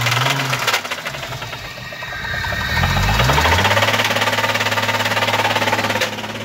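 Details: Imported JDM Toyota 1JZ, about 70k km, run about 500 miles; the knock started after a few pulls. Heard from outside the car at idle: a sharp regular knock, three or four per second. Serious rod knock.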